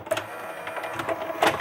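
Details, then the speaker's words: JVC HR-DVS2 S-VHS/miniDV combo after capstan motor cleaning during repair: soft whirring with light irregular clicks as the VHS tape loads and runs, no grinding or squeal; normal tape transport operation. "la vhs elle fonctionne"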